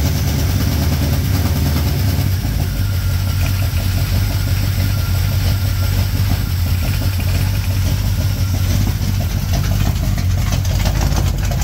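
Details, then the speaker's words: 1987 Chevrolet K10 V8 petrol, first start after head gasket replacement: starts without much trouble and idles with a steady, deep low burble, even and free of knocks or misses. "Here he's got it running, so it started up without too much trouble."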